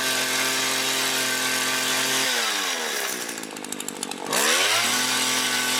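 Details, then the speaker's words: Mac GHT 17 hedge trimmer two-stroke after new fuel lines and carb rebuild, quick throttle pulses: crisp steady buzz dropping off throttle and climbing cleanly back; runs really good, no adjustment needed. "So sweet. All right, that's it. It's done. Runs really good. Doesn't even need adjustment."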